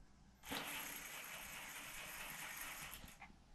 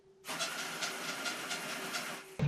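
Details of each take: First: Gen1 Axial 6x6 RC tow rig after drivetrain repairs, running on 14-tooth pinion (owner thinks maybe too high, may drop to 13 or 11); smooth, even electric whir under power with no clicks or crunching, drivetrain running smoothly. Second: Gen1 Axial 6x6 RC truck: high motor whine with quick rhythmic scuffing about five times a second, heard only with the wheels on the floor (fine held in the air), as the spur gear rubs the driveshaft; owner plans to replace the driveshaft.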